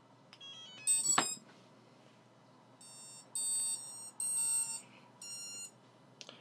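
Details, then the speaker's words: Beginner-built quadcopter powered up for the first time during Cleanflight setup: bursts of high ESC arming chirps come from the motors one after another instead of together. The ESCs initialize at slightly different times, an issue to investigate. "Okay, that sounded promising. Nothing's exploded. Uh now if you heard that all of the ESC's seem to initialize at a slightly different time. So that's something we're going to have to look at."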